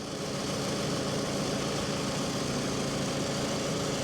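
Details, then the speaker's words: 2007 Toyota RAV4, 180K miles, salvage title; oil filler cap found off, oil around valve cover: steady even idle, smooth low hum, no misses, knocks, ticks or exhaust leaks; sounds as it should, normal idle. "sounds pretty decent too sounds like supposed to i don't think that oil would concern me too much"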